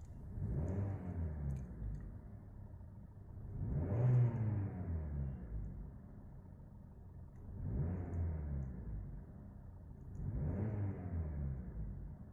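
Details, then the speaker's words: 2022 Maruti Suzuki Dzire CNG on CNG, heard from inside the closed cabin: a muffled engine note swells and falls four times over twelve seconds as it is revved, with very little noise reaching the cabin; smooth, normal revving. "अब तो भाई इतनी ही जो आवाज है वह बीच में पता चलती है बिल्कुल साइलेंट केविन आप इसको कह सकते हैं"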